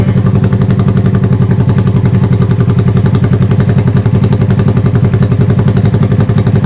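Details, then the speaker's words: 1971 Honda CB350 twin, first start after going back through the top end with oil flow fixed, avgas/low-lead mix, likely needs rejetting: loud, fast, even exhaust pulses idling just over 1,000 rpm, both cylinders firing cleanly; normal idle. "Alright guys, she's idling just over 1,000 RPM. Sounds good, it's loud, firing on both cylinders. That sounds really, really good."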